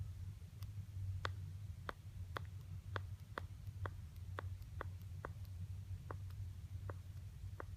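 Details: iPhone 6 replacement unit (original replaced at 6 months for same issue): sharp, dry clicking, about a dozen clicks in eight seconds, as the screen separates from the chassis at the top right edge around the power button.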